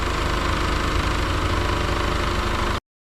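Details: 2003 Mitsubishi Lancer with a crank/no-start and DTC 23 (cam position sensor), after swapping the cam sensor: an even, steady idle with a smooth low rumble and no misses or stumbles.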